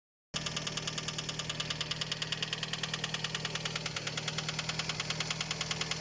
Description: Проявился внезапно. В итоге оказалось, что это заклинивший клапан фазовращателя (VVT).